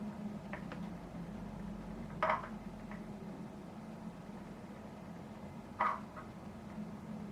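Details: Telecaster parts-caster fret check before levelling: quiet room with two faint sharp clicks a few seconds apart as the fret rocker rocks on a fret; that fret sits high and will be knocked in.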